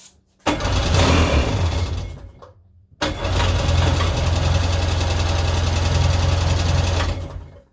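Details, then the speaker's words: 1999 Sea-Doo GTI single-carb two-stroke (148–150 psi compression, carb rebuilt, new fuel/oil lines) cranking strongly and evenly on the trailer but not firing; not getting fuel, owner suspects supply and return lines swapped. "sounds like a strong engine we're just got to get gas up there to it and this one sets so high on the trailer hoping I don't have my return and hoping I don't have my returning uh supply lines backwards I went off the diagram"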